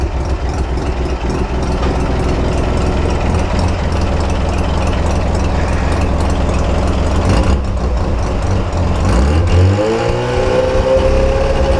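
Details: RX7 FC bridgeport rotary engine: a rough, choppy idle, then a quick rev that climbs and settles, with a light clicking from the engine bay; the source is unknown.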